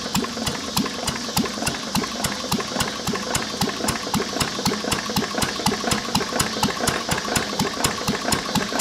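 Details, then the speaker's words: Lister throttle-fed single-flywheel engine from about 1920–1930, carbureted with magneto, idle set very low. A sharp regular knock about four times a second, once per turn: worn connecting rod bearing. The block is cracked, letting water into the oil. "you can hear the rod there a it but [Music] [Music] d now good all right guys well that's the end of today's uh Moto Monday that was our liser I mean besides the rod knock and in need a paint it actually is a good running motor"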